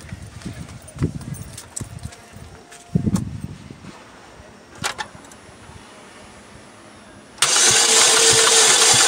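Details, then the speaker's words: 2007 Saturn Vue during compression test, gauge staying at zero on cylinders; starter spins fast and perfectly even with no compression chuffing; no compression while cranking. "that's not good at all no compression at all no compression at all that's not good nice and tight in there what"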